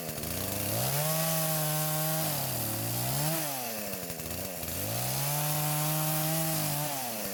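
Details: Poulan chainsaw that would not start despite spark, fuel and compression, now after repair and carburetor adjustments (L screw about half turn counterclockwise, idle screw), cutting wood: engine climbs cleanly to a steady high howl through each cut and falls back smoothly; normal running.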